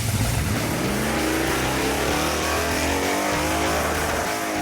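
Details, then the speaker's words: Chevy S-10 street/strip truck, big V8 with carburetor, launching at US 43 Raceway Park on a 30-degree cooler day: sagging, labored note off the line before climbing; bog hurting 60-foot time, possibly low launch rpm, tight converter or lean pop. "though we picked up some free ET, that pesky bog was still killing our 60-foot time."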